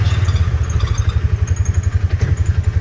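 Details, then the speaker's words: 2018 Polaris Ranger 570 Full Size (322 hours, 2,500 miles) after repairing transmission reverse gears and detent star; engine idling, reverse engages cleanly with no clicking, grinding or hunting as before. "And there's reverse. Went right in, no clicking like it used to do, and no hunting for reverse for a minute or two. It goes right in."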